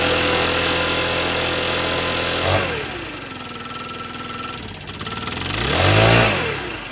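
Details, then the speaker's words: Stihl BR600 backpack blower before annual service: revs fall off then climb slowly and hesitantly on throttle opening; sluggish pickup from valve clearance out of adjustment, not the carburetor. "This is why we know it's time to adjust the valves, not the carburetor. Keep that in mind, just the valves, not the carburetor."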